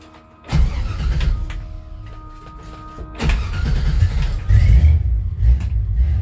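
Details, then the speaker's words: 1966 Chevy C10 on a 1972 C10 frame, carbureted 350 from a 1991 Chevy truck, second start: brief cranking, then a very loud deep rumble settling to a rough idle, with only mufflers and no proper exhaust system. "and I forgot to tell you if you're new to the channel this truck just has muffers I don't have good exhaust on those"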